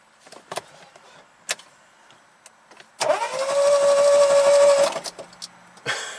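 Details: 2016 SMART car, 0.9 L three-cylinder turbo, ran worse until it quit, no stored codes: a few clicks, then starter spins fast and light for two seconds with no firing, cranks "funny"; low compression from incorrect valve timing.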